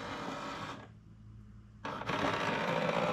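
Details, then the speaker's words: HP LaserJet Pro MFP M428dw printer while photocopying: whirring feed with uneven rattle about three times a second, brief pause, then louder grinding; abnormal roller noise, followed by load-paper and paper-jam-in-cartridge-area errors. "realize that it gives some weird sound with the rollers."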